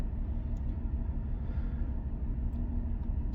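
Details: Petrol engine idling rough, a low uneven thump stumbling about three times a second, after the stored code was cleared and the engine restarted; misfire on cylinder 3 returned with cylinder 6 now also flagged (codes P0303, P0306), suspected coil or spark plug.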